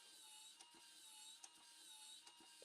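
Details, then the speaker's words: Titanic model kit (issue 36) small motor and gear mechanism: a thin high whir broken by irregular sharp clicks as the gears skip because the flywheel is dislodging and jumping. "now you can see there's a complication here it's skipping can you hear that clicking noise something's not right there"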